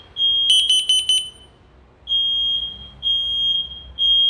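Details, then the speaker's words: New and old smoke detectors tested with smoke; shrill steady alarm tones in long pulses with short gaps, briefly overlapped by another unit at the far end still sounding strongly; detectors working properly. "Şimdi bu yeni aldığımız dedektörlü bund da böyle ötüyor diğer koyduğumuz arkadaşlar şuraya Eee dip tarafa koyduğumuz o halen Eee şiddetli bir şekilde ötmeye devam ediyor"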